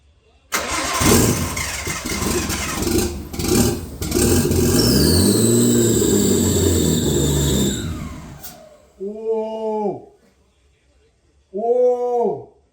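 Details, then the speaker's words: Nissan RB20 first start in five years after rebuild, with new spark plugs and coil packs, old dirty injectors: starter churns briefly, then the six catches and settles into a loud, somewhat uneven run before shutting off; engine starting and running. "Wow! Holy shit, it ran. It fucking ran, man."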